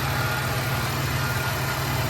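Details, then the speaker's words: 2006 Pontiac Grand Prix freshly swapped to a supercharged 3800, idling lumpy and stumbling; code for random multiple cylinder misfire. Owner suspects it needs a tune, possibly a module, though he doubts the module. Cause unconfirmed. "I don't think it's the module though last time we had that issue with the module but that was going to car with started we have multiple Mis fires so I don't know what that is"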